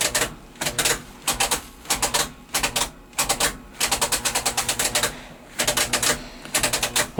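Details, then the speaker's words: 454 V8 in -16 degree cold, not seized, key turned: bursts of rapid sharp clicking and chattering with no turnover; hammering the starter didn't help, starter has failed and was replaced. "Yeah, starter's pooched."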